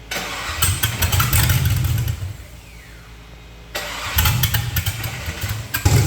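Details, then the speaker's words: LS-swapped Fatsun, after fitting new plugs and finishing wiring: catches and idles with a rough, uneven beat, then revs cleanly; runs better but starting is still poor, OBD scan planned. "the revs sound better but the uh it startup is still bad so we're going to check it with OBD scanner"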